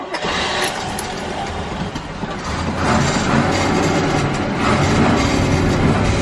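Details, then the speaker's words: 1979 Corvette idling; loose, uneven metallic rattle from the exhaust, reportedly the catalytic converter honeycomb broken inside, entire new exhaust said to be needed. "You hear that rattling noise? Apparently that is the honeycomb inside the catalytic converter, and I need an entire new exhaust."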